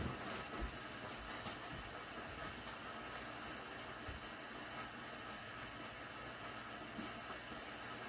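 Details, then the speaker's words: Svea 123 backpack stove from the late 1970s, refired after 40+ years unused, heating water: a steady, even hissing roar without sputter or pulsing. It is now running as it should. "Now it's going the way it should be doing."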